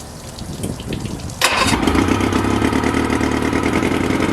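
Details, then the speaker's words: Boat outboard with primer bulb full of fuel and tank vent opened: engine catches sharply, runs roughly a few seconds, then dies. Starts then stalls; owner suspects it is not getting fuel. "every time I pump it it'll start for a few moments and then it just dies you know what I'm saying"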